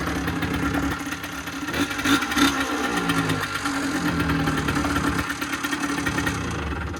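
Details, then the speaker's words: 2008 Rieju RS50 Matrix 50 cc two-stroke, 6,800 km, after a no-start traced to the spark plug, fully cold start on choke: catches and settles into an even, buzzy idle about three pulses a second; running properly. "This is a cold start. Completely cold start. Choke on."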